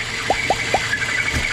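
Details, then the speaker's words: Citroën C4 Pallas 2.0 16-valve petrol at idle: thin high whistle with short chirps seeming to come from the engine, traced to a faulty PCV valve inside the valve cover, not the accessory belt. "Esse barulho aí, um assobio que parece que vem do motor."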